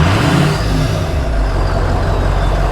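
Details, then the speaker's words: Ford F350 Super Duty with 6.0L Power Stroke V8 diesel: deep steady rumble under revs with faint high whistle on top; healthy turbo whistle. "there are a few engines that sound better than an old Power Stroke with that whistle"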